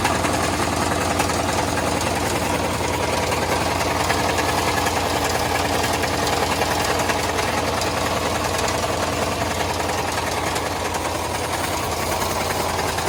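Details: Two-door Chevrolet Tahoe V8 after sitting for months, with an oil leak: rapid steady knocking about three or four knocks a second over the idle, plus ticking and banging; cause not confirmed.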